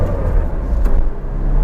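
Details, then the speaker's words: Isuzu MU-7 after repair, a previously unserviced vehicle that clunked from the centre of the driveline under hard acceleration and shook at speed (cracked universal joint suspected): now low, even engine and road rumble under hard acceleration, no clunk or knock. "เดี๋ยวมาฟังเสียงเดี๋ยวขยับให้ฟังว่ามีเสียงดังบ่ได้ยินอยู่บ่บ่บ่ได้ยินก็ไปว่าเงียบกิ๊บหาย"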